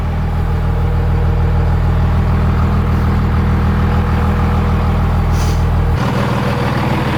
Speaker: Everything sounds good.